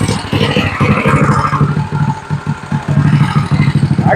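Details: Drift trike small single-cylinder engine after a new head and valve adjustment, on choke: pull-starts quicker than before and fires at a fast, slightly uneven putter with steady low thump; runs fine.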